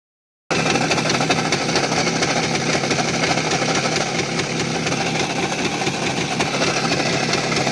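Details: Voskhod 3M two-stroke knocking hard at idle and high revs in 3rd-4th gear, despite a clean piston and new rings; started after decelerating in 4th, owner suspects crankshaft: busy, rapid metallic rattle over the exhaust.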